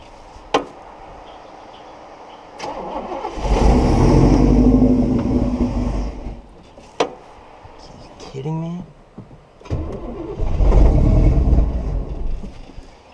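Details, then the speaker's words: 1969 Buick Special Deluxe with suspected fuel starvation, after carburetor rebuild, mixture screw and timing adjustments: V8 catches and revs unaided, then sags off and dies without throttle, several times; idle won't hold, cause unconfirmed. "Wow. I didn't even touch the throttle. Something is so wrong with [Applause] this. All right, let off. It dives."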